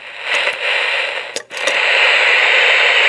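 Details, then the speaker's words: Kid-built Elenco FM-88K autoscan FM radio kit: loud, steady hiss with a few crackles and dropouts, no stations received. Suspected cause is a wrong-value or wrong varactor diode, unconfirmed. "appears to have all kinds of game but it's not finding any stations so there's a lot of theory so I just might be happening one might be extruding the wrong Dan perhaps the tractor diode is the wrong value wrong diode or something like that"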